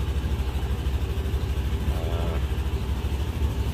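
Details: Scooter idling after start, with the alternator charging at 14.6–14.7 V: steady low, even thrum with a regular pulse and no knocks or rattles; alternator judged good, idles smoothly.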